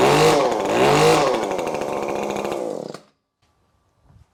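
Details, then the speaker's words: ECHO SRM-2620T two-stroke string trimmer, two years unserviced, bogging and losing power, run on the stand with the clogged spark arrestor screen removed: revs high and clean with no bogging, holds steady, then cuts off; clogged screen confirmed. "so you can see right there that that was absolutely the problem uh completely running differently now you can hear the rpms it's not bogging down so it was just a clog screen very simple fix as i suspected"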